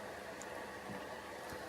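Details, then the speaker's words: Noiseblocker PC case fan at full speed, alongside Ubanner RGB 120mm fans: steady even whoosh of air with faint hum, no ticking or rattle; healthy fan running flat out. "So if this is, obviously the noise that you hear is coming off the noise blocker. I have it on full whack"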